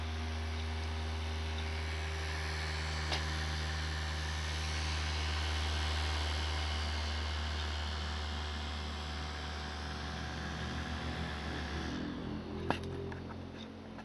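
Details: Computer fan after a CPU fan replacement, recorded with a compact camera's built-in mic: a steady low hum with a droning tone and a fine rapid rattle. Abnormal fan noise.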